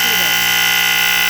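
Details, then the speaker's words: KF Industries Model 535-1 gas and smoke detector, tested with spray, alarm delayed: loud, piercing continuous tone holding steady pitch and volume without dropouts, vibrating the counter; alarm works. "You can hear how loud it is. And it actually vibrates on my counter."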